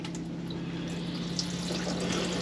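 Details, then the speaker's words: Used motorhome wash basin tap opened after filling the water system: rushing water with uneven spits and gurgles over a steady pump hum; air still trapped in the lines causes spluttering. "no because it gets blessed why will i get splashed it could be very funny if you do because it's still got an air airing it's"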